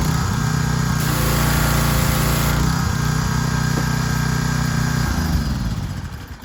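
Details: Troy-Bilt 2700 PSI gas pressure washer after pump head replacement and unloader adjustment (previously stalled); small engine runs at fast, even beat, holds steady without stalling, then winds down; washer running properly.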